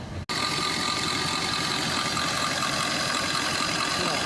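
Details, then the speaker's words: Suzuki Swift Dzire AMT diesel holding about 1500 rpm with no throttle and vibrating, AC not cooling, engine coolant temperature sensor circuit code set; a steady buzzing high idle. A test sensor didn't clear the code; the wiring is still to be checked. "ഇതുപോലെ vibrate ചെയ്തുകൊണ്ടേ ഇരിക്കും. 1500 RPM എടുത്തത്."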